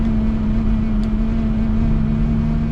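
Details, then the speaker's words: Steady, low, bumblebee-like buzz at a fixed pitch over road noise in a newly bought L322 Range Rover, with vibration above 60 mph that is worse at 70. It seems to come from the windscreen area, not the wipers; the owner suspects loose trim, unconfirmed. "and then worse at 70 not coming like from the car but it sounded like the windscreen and like a bumblebee um thought it might be the wipers but it's not"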